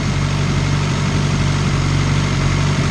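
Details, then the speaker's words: Turbocharged Honda CR-V first start on base map, timing belt good, 75 psi oil pressure: smooth, even idle with steady low rumble, no ticking, knocking or whine; healthy engine, turbo and wideband working. "the Moose cage is working the wideband is working the turbo is printing big fan it sounds really good"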